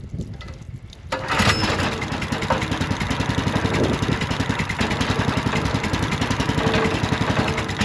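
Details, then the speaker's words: Ridgid RD80770 3800 PSI pressure washer, long unused, water now running through pump, no load: catches after brief crank and runs steady, no knocks or misses, smoking a little; seems to run okay. "I mean, it is smoking a little bit, but not enough to like I don't know, man. It seems like it runs okay."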